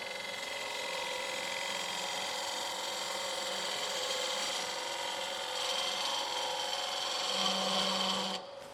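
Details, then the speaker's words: Woodturning on a lathe: the tool isn't swung fast enough and chatters with a harsh rasping ring instead of cutting cleanly. "I'm not swinging it fast enough and I'm not cutting I got a really nice chatter in there now I'm going to slow it down"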